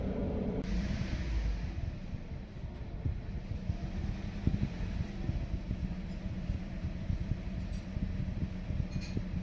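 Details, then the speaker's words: 2016 Toyota Corolla Grande 1.8 four-cylinder, heard at the exhaust at idle: uneven thump-and-drop about three times a second, rpm needle swinging; one cylinder not working, no check engine light, stalls when put in gear. "तो दोस्तों, अभी आपने आवाज़ सुनी है सिलेंसर से कैसी आवाज़ निकल रही थी। एक सिलेंडर इसका काम नहीं कर रहा।"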